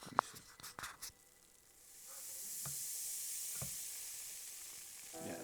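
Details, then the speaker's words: Flair 58 espresso maker purged after a shot: a few clicks, then a soft steady air hiss rises and holds, meaning all the water has been pushed out. Normal purge hiss, water fully expelled. "that hissing that hissing sound usually means that every all every bit of water that could have gone out should have gone out."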